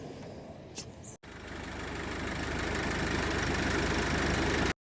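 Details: 2006 Nissan Pathfinder YD25 diesel, first start after installing a replacement high-flow turbo (previous one blew its seals), exhaust reconnected: catches after a short crank and settles into a steady, even clatter with no whistle, knock or misfire; healthy start.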